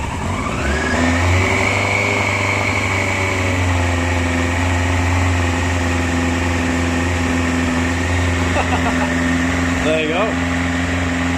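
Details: 2001 Yamaha R1 5JJ under restoration with a faulty immobiliser, started by bridging the ignition wires with the choke on: it catches quickly to a high choke idle, then rises and settles smoothly under light blips with no misfire or clatter; healthy.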